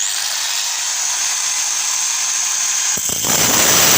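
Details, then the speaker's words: Angle grinder with worn armature, running with disc fitted before repair: high, strained whine roughening into a coarse growl ("ngorok"), power weak. "nah ini Lur tenaganya dan suaranya sudah ngorok-ngorok"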